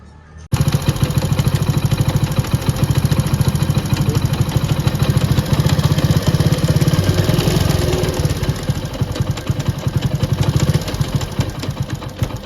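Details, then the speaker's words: Motorcycle engine running with a heavy, uneven rumble that doesn't settle at idle; the output shaft jerks and knocks inside. Cause found after opening the engine three times: damaged third-gear teeth, replaced along with other parts. "तो आप लोग देख सकते हैं कि यह जो output फफ्ट है वह कितना झटके मार रहा है इस तरीके से झटका मार रहा है और आवाज करता है अंदर से"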